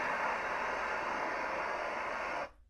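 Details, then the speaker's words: Firemaple Jetboil-style stove on a butane-propane canister with the side valve open: steady, even gas hiss with a clean flame, no sputter or pulsing, then a sharp cut-off; normal burner operation. "You can smell the gas. My valve is open. Valve on the side. Hear that hissing gas."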